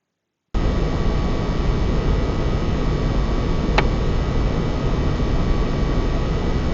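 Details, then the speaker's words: PS5 (likely disc version) fan type A after about 15 minutes playing Demon's Souls: steady, even fan rush with faint high tone, no squeak standing out; normal cooling fan noise under load. "so that itself is after about 15 minutes of playing demon souls um you can hear the fan noise and then this is fan type b and this is again under our plane conditions"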